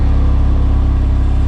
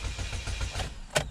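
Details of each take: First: 2006 Chevy HHR on its first test run after the rusted fuel pipes were replaced with nickel-copper lines: a steady, even low rumble with no knocks or ticks, a clean idle, and no fuel leaks found. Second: 2006 Chevy HHR with the fuel pump fuse (#13, 15 A) pulled, cranked to depressurize the fuel system before replacing rusted fuel pipes: the starter churns in even pulses, about six a second, and the engine never fires because there is no fuel pressure.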